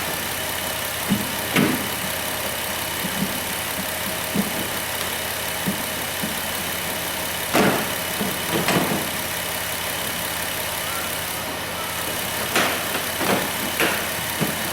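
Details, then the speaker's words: Replacement 3.8 engine in a high-mileage 2008 Dodge Grand Caravan (the original had a P0303 misfire and burned coolant), warming up at idle with temperature near 195 and good fuel trims: a smooth, steady idle that sounds healthy. "fuel Tri stuff looks good sitting here at a idol"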